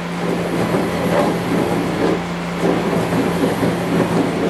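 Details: CNC mini-mill axis in 1-inch jog mode with the gibs fully loosened: steady motor hum with a rough, gritty rasp that swells and fades as the axis moves; ball screw end thrust nut binding.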